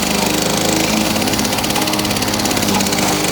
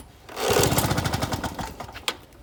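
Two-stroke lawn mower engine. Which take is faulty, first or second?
second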